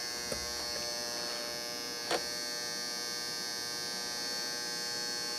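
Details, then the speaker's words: Optoma UHD60 4K DLP projector that kept flashing the lamp light even after a new lamp; the color wheel index mark had flaked off and was re-taped. It now powers on, but a thin, steady high-pitched buzz from the color wheel sounds rough and noisy. "well that thing's noisy but it is coming on"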